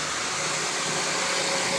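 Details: 2005 Honda Pilot running after starter replacement: smooth, even hum with no grinding or clatter from the starter area; engine starts and runs normally.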